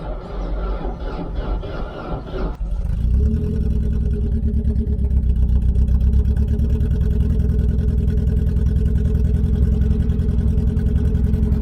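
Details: Opel Corsa B abandoned for 2 years, started with a charged battery, check engine light on: slow uneven cranking about 2.5 seconds, then catches into a steady, slightly rough idle.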